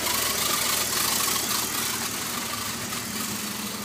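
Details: BMW E46 ZHP idling with a funny engine-bay noise, recorded from the engine, under the car and back to the exhaust: rhythmic ticking chatter about four per second over heavy hiss; abnormal engine noise at idle, cause unclear.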